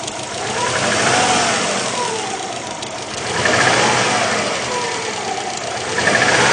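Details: Subaru Legacy GTB engine: knocking tap rides over the engine through gentle rises and falls in revs; owner suspects piston slap, unconfirmed.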